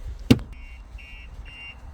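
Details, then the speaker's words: 2023 Audi RS3 with a StarLine S9 alarm, armed: a single knock on the body sets off the built-in shock sensor, which gives short high chirps about twice a second as a warning to move away. "can hear it. It's just going to go off, telling you to move away."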